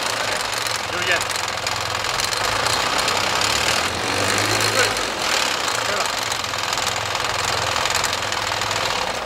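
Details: Dodge Stealth twin turbo, running with the clutch pushed in: a fast, harsh clatter over a loud, hissy idle; a loose timing belt is suspected as the cause of the knocking.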